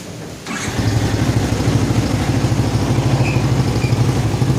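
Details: Yamaha Vixion after repairing total electrical failure caused by a detached ignition-switch connection and reassembly: starter catches in half a second, then steady even low idle thump with no misses; starts and runs fine.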